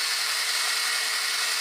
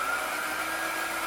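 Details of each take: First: Breville BCG450XL coffee grinder after repair: smooth, even high-pitched whir holding steady, then a clean spin-down when switched off; power loss had been caused by two faulty capacitors on the main board, which were replaced. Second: Breville BCG450XL coffee grinder with loss of power: even, airy motor whirr at a constant pitch. Two faulty capacitors on the control board caused it; both were replaced and it tested OK.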